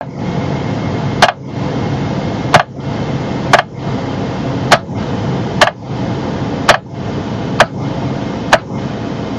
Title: Steering Column Clicking Sound